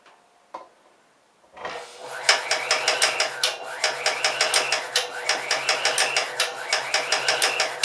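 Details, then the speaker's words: Air compressor, possibly cold, labouring to start against tank pressure on a weak circuit that trips breakers: low hum under uneven clacking about three per second that never settles; owner says it has done this since last year. "I don't want to overload my breaker either, so I probably should let my breaker cool down. It probably takes so much damn power to get it to frickin' turn over, I suppose."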